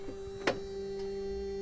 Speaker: you can hear that little pump is started to make noise, which is circulating cold coolant at the moment.